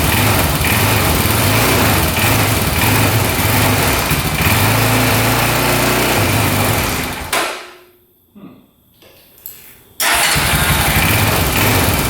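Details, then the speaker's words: 2004 Honda 400EX single-cylinder quad, first start with new spark plug and brand-new carb, choked: rapid uneven knock about three per second over a lumpy idle, stumbling nearly to a stall then catching; no smoke. "So far, no smoke, but it sounds like it's knocking pretty good, doesn't it? Doesn't sound the greatest. Um, and it's not idling or"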